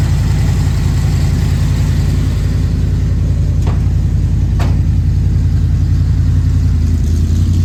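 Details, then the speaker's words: 1970 Dodge Challenger being diagnosed for misfire, new Autolite copper spark plugs, full tank: loud, lumpy V8 rumble with choppy low pulses about three per second while driving; intermittently stalled after slowing on a turn, cause unconfirmed. "I was driving from there, car ran fine all the way through there, made a right turn, started slowing up, caught up again, and then it just completely stalled from right there on that turn where this parking lot turns in."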